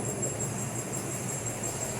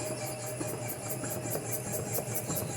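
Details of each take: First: Chevrolet Cruze after repair of a suspension noise, with the faulty parts replaced on both sides: steady low rumble while moving with no clunks or knocks; quiet suspension. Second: Chevrolet Cruze suspension knocking before parts replacement: repeated knocks and creaks about 1.5 times a second as the suspension works up and down. Cause suspected, not confirmed.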